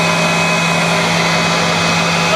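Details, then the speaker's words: Exhaust fan switched on and running; even, steady fan rush with a constant low hum and no rattle or wobble, normal operation. "and then exhaust fan oh there it is right there"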